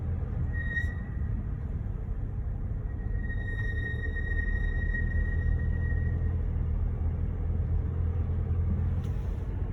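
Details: Mercedes-Benz GLC, approved used, under 30k miles: thin, high steady brake squeal over low road rumble at low speed, in cold weather, under light braking; persistent since purchase two months earlier. Brake squeal.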